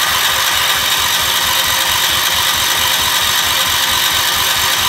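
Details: Gravely 812 first start-up after engine rebuild, voltage regulator suspected of overcharging: steady, even chugging at a fast regular beat with no knocks or misses; freshly rebuilt engine sounds healthy.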